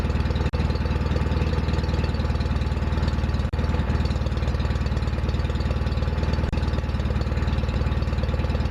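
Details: Restored John Deere 316 tractor at constant speed: steady, even thump with no knocks or misses; running smoothly.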